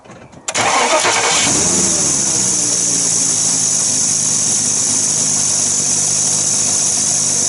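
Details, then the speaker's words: Porsche Cayenne Turbo 955 at idle with a strange ticking and air-leak noise: loud, constant high hiss of escaping air from a pipe that had been rubbing on a pulley and gradually wore through. "think I found the source I'm a strange ticking and air leaking noise so it looks like this has been rubbing on that pulley for a little while getting gradually worse"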